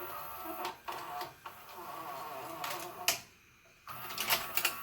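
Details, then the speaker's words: JVC HR-S3500U Super-VHS VCR, bought in 1998 and about 25 years old, before regreasing: short whirs and clicks with a dry creak on the gear moves as the tape unloads. Owner hopes grease on the loading gears fixes it but can't locate the source. Creaking during unloading. "sounds like it makes like a creaking kind of noise I'm hoping that's applying some of the grease I'm assuming to like the loading gears that that goes away"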